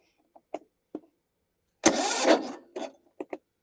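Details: 2013 John Deere D110 lawn tractor, Briggs & Stratton 19.5 hp, 315.7 hours: a few short starter turns, then a brief sputtering catch under a second that dies; cranks but won't run, owner suspects inoperative compression release/cam.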